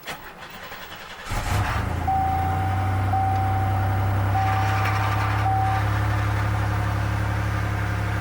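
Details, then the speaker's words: 1990 Oldsmobile Toronado Trofeo 3.8L V6, cold start after replacing lines (it had idled near 2000 rpm): catches after a brief crank, then a steady, even high idle that owner judges normal cold idle. "actually you know what now think about it I think that's normal Idol when it's are cold"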